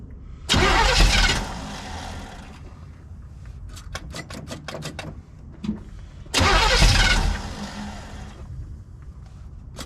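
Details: 1971 Chevelle wagon V8, carbureted, sitting 3–4 weeks, cold start at 47°F after pumping the carb: two short cranking bursts that catch and fire, with rough running and clicks between; starts normally.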